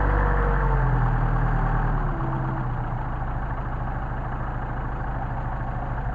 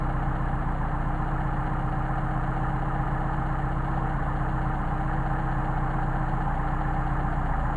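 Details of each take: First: 190SL with Solex carbs, cold start on choke after sitting about a week, ambient about 65°F: fast idle settles lower after two seconds into a steady, even beat with no misses. A healthy cold-start idle. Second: Mercedes 190SL Solex carburetors tested running independently: idle mixture screw turned to the extreme gives a low uneven idle with wavering beat and sagging rpm, before finding the best midpoint.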